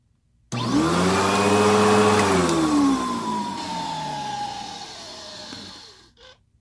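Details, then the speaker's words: Eureka Whirlwind 4383 upright vacuum: motor spins up with loud tone that slides down in pitch; the extra whirr stops when the brush roll is stopped, so the noise is the brush roll, not the motor. "Yeah, because when I stop the brush roll, it stops making that noise. So yeah, that is the brush roll, not the motor."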